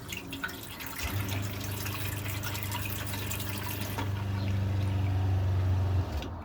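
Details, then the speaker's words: Motorhome water pump feeding a Truma Ultrastore water heater, after cutting out a kinked pipe section: with tap open, a smooth steady low hum for several seconds, cycling on and off properly, no longer pulsating; normal water pump operation. "I don't know if you can hear that, but the pump works perfectly fine. It doesn't pulsate anymore."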